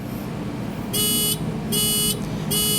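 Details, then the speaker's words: 1988 Mazda RX-7 rotary that won't start, diagnostic check: three even beeps about 0.8 seconds apart, settling on code 03, water thermosensor (water temperature sensor) circuit. "I think it went to the three beeps right away and then it settled on 03. So, we're going to go with 03."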